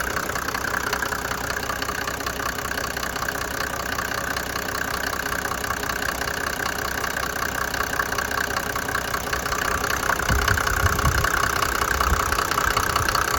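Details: 1991 Mercedes-Benz 350SD diesel at steady idle with even clatter, no misfire, after a broken cam was replaced; runs smoothly.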